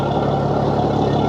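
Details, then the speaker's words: Yamaha F300 XSB2 4.2 V6 outboard at its 100-hour service, owned about a year and a half, on 20W40 Yamaha oil, idling on a flush hose; steady, even low hum, no misses, knocks or ticks; normal idle. "No complaints. Everything works fine. you can hear, the engine sounds"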